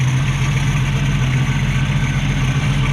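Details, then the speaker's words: 1965 Mustang straight-six after carb choke adjustments and a reconnected heat riser tube: smooth, even low idle with a steady deep tone and no misses or knocks. Timing is good and the choke is now working properly. "good idle the timing's good the choke looks like it's working properly now"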